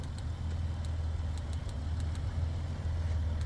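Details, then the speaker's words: 2008 Dodge Grand Caravan petrol engine idling unevenly with brief sags and faint ticks, a cylinder 1 misfire (code P0301) felt as a stumble. "Anyway, so I can actually hear it. Sorry about the chime. I can actually hear the misfire."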